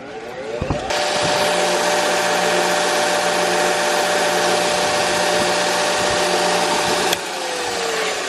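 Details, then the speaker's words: Jet 2x42 belt sander, test run with a replacement disk after the old one was found bad: motor spins up to a steady even hum without wobble or rattle, then winds down cleanly; running properly. "we're off thing is pretty solid"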